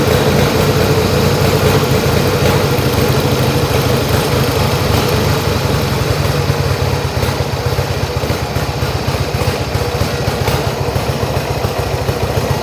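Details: Yamaha XS1B twin after carbs rebuilt three times, airbox refitted, dead cylinder tune and throttle screws wound evenly for about 1000 rpm idle: steady, even idle, no misfire or hunting, both cylinders pulling evenly; normal idle.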